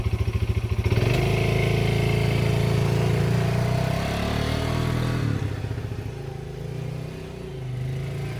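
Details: Yamaha Breeze 125 (Grizzly 125 equivalent) first start after about 2 years in storage, fresh fuel added, choke on, slight fuel leak; a few quick cranks, then catches into a steady single-cylinder putter with a little throttle; normal start and idle.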